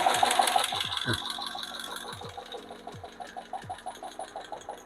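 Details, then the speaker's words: Hemi lifters on motor-driven lifter tester at about 70-75 psi oil pressure: sharp regular tick about three per second, loud at start then quieting; one lifter making the noise. "It started out kind of loud, but it's quieting down. You can tell we have a lifter that's giving us the noises."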